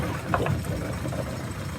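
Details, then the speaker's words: Small dinghy outboard motor after repair and a slight idle-speed adjustment: low, even putter holding steady at idle without stumbling. "I'm tweaked the idle speed a little bit. That sounds better."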